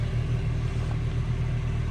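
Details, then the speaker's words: 1998 Toyota Tacoma 2.7 with blown head gasket: steady low rumble with no sharp knock after rough, misfire-like starts; coolant loss with no external leak, sweet-smelling smoke, and coolant found in cylinder one. "I'm pretty sure it's getting coolant into the Pistons cuz it's done this the last 3 days that I've done it so and it smells sweet like you see how much Smoke's coming out of it"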